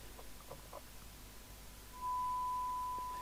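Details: 1981 Planet 2000 C27/81 UK FM CB radio (UK4000 chassis) on receive test with a signal generator, during repair and alignment: background hiss, then a clean, steady mid-pitched tone holds evenly; receiver demodulating properly.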